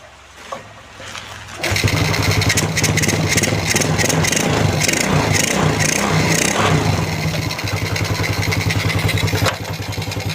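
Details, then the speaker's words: Honda Wave 125 (Wave R S, front/rear discs) that stalled within a kilometre after starting, after repair, not the ECU a shop blamed: short starter whirr, catches within a second and settles into steady idle. "นี่นะครับติดแบบง่ายๆเลยนะครับ"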